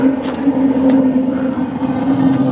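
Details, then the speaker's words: Replacement Attwood RV water heater, leak-tested, on test run: a few sharp igniter clicks over a steady low hum as the propane burner lights on gas and keeps burning evenly with a blue flame; normal ignition. "Well, as you can hear, it lit on gas, flame's nice and blue, so we'll turn it over to electric."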